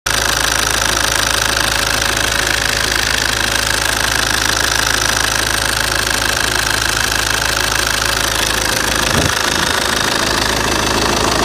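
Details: Opel/Vauxhall 1.9 CDTI diesel idling steadily with a fast, even ticking noise from the top end of the engine.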